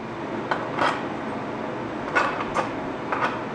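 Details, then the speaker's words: Oxy-fuel cutting torch at correct travel speed: steady torch hiss with irregular sharp snaps, crackles and pops from under the plate, a few per second; normal cut leaving heavier slag. "Hear the snap, crackle, and popping from the bottom."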